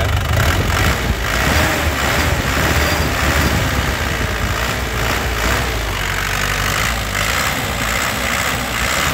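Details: 2019 LS Turbo diesel with low mileage, turbo area dry with no oil seepage. Idling and revving, even crisp diesel clatter with stable vibration rises cleanly with throttle blips and settles back: healthy engine, no misfire.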